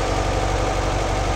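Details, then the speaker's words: 1958 Porsche 356A T2 with Zenith carburetors during tune-up, carbs balanced; steady, even but quick idle at almost 1,400 rpm, too high versus target of about 800-900. "we're good and balanced but our Idol is pretty high looking at the tachometer we're at about almost 1,400 rpms or way high"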